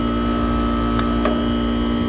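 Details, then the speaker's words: Goodman central AC at a rental, no-cool call, compressor drawing about 8 amps against 12.6 RLA at start: loud steady hum with strong even tones and faint clicks; loud compressor noise, possibly struggling, cause not confirmed. "i think it's so loud i guessed wrong on it it just sounded like it has having a hard time it might still be having a hard time just pulling eight amps there to start"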